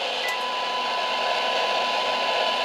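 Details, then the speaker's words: President James CB/10m radio at 27.185 MHz, RF gain full, fed from the original signal generator; steady hiss with a faint thin whistle barely showing through: weak signal buried in noise, low front-end transistor amplification suspected. "Do you hear that? So that is much more in the noise."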